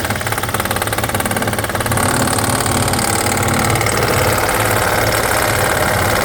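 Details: 2012 BMW X5 with N63 V8 at idle: a quick rhythmic ticking rattle of about three per second; suspected timing chain noise, and it was eventually fixed by installing a new engine.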